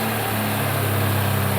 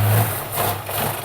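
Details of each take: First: Mk1 Ford Capri with a 2.0 Pinto engine, started with fuel primed into the carb to check timing: a smooth, even idle with a steady low hum and no knocks or ticks. Healthy running. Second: Mk1 Ford Capri 2.0 with Pinto engine, carb primed by hand: runs with a low uneven beat, surges once, then dies; it should have run out of fuel in the float bowl, fuel not yet being pumped up.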